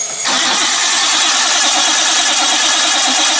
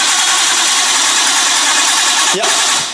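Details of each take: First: Barn-find Nissan R32 Skyline: even rapid cranking for about five seconds, never catches; it won't run because the main power fuse had been removed, later bridged temporarily. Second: Barn-find Nissan R32 Skyline, first crank without fuel to check the engine turns: steady even hiss of it turning over on the starter, then cutting off; motor spins freely and sounds healthy.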